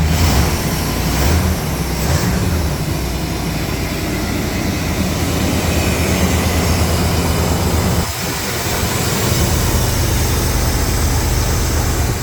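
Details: 1992 Chevrolet C1500 with a 350 TBI V8 and automatic, after a new fuel pump assembly and spark plugs: a steady, even, low rumble with no misses, stumbles or knocks. Replacing the fuel pump fixed it; the engine now idles smoothly.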